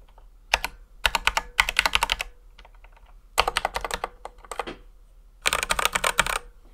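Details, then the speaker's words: Ducky x HyperX One 2 Mini mechanical keyboard, stock unlubed switches before modding: sharp, high-pitched clacky keystrokes with hard top and bottom-out sounds and a faint metallic spring ping; stock keycaps contribute to the sound. "originally the cue presses were quite high-pitched with a sharp top and bottom out sound keep in mind that the key caps also contribute to this bit too and there was also a bit of metallic ping before but that wasn't super audible"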